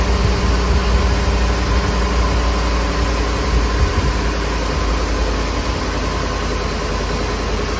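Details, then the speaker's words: Ford F-150 5.4L Triton 3V V8 idling right after VCT/VVT solenoid replacement: deep, steady, even rumble with no misses, knocks or vibrations and no leaks, only the usual light ticking; sounds like a healthy engine. "no vibrations what do you guys think sounds sounds good healthy engine that's right"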